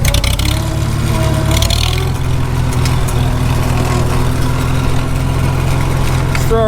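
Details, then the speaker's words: Farmall H tractor in top gear under load, transmission on cold, thick oil: a steady low engine drone with a faint howling gear whine above it. It howls badly when warm in summer, and the transmission is due to be fixed. "can you hear that transmission gear wide it's coming through and that's on cold thick oil when this thing gets warm in the summertime it howls like crazy so that's one of the things we're about to fix"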